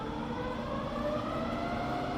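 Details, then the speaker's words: Rebuilt Bridgeport milling machine, spindle in low range from 60 up to 110 RPM: quiet, smooth hum with soft tones rising as speed steps up, no grinding, knocking or gear whine; normal spindle running. "So we're now in low range. It's just as quiet in low."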